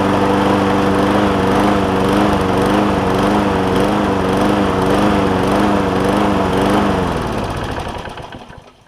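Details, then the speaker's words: John Deere JA60 push mower after stuck-valve fix, cleaned carb, new fuel line and tank, no air filter: pitch rising and falling in slow waves then dying; lean surge, debris suspected in a carb jet. "And she's all over the place."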